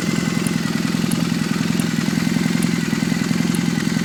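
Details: Warmed-up engine at steady idle making sharp, high-pitched chirps about once a second; source of the chirping still unidentified.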